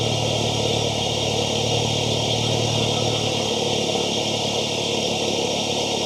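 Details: MK7 VW GTI right after fitting an Integrated Engineering cold air intake with heat shield to the stock turbo inlet pipe: engine catches and settles into a steady, even idle, smooth low hum, no knocks or ticks; normal.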